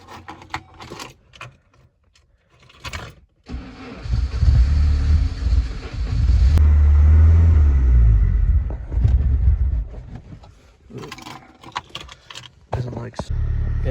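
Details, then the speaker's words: Saab 900 turbo at about -8°C, started after new vacuum lines: it cranks, catches and settles into a fairly even idle, much smoother than before, with slight cold unsteadiness; the owner thinks it just needs to warm up. "idles a lot smoother. Although it's a little bit elusive, but I think it just needs to warm up."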